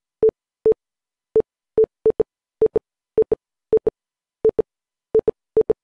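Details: Windows 11 PC with new boot drive beeping when opening or installing programs: short mid-pitched beeps in irregular single and double groups like Morse code; cause unknown.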